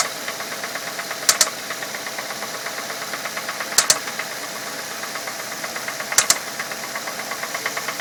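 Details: 2006 Ford Fusion 4-cylinder, 80,000 miles, at idle: sharp metallic double clicks every two to three seconds with irregular spacing, felt at one spot on the engine. The owner suspects a valve issue or a slapping timing belt; the cause is unconfirmed.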